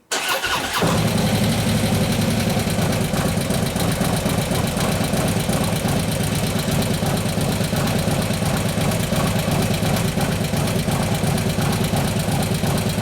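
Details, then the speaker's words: 2015 Harley Road Glide 103ci Twin Cam after a camshaft install, idling: a light, fast tick over the lope, apparently from the front cylinder top end. "alright so sounds like it's the front front lift your front intake sound like most of noises from its even the chain screws in here aren't pumping out but we got to lift her name pumping off one of the other obviously something's making noise"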